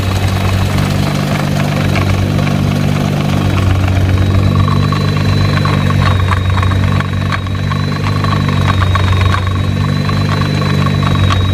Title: GT-R drive shaft rattle sound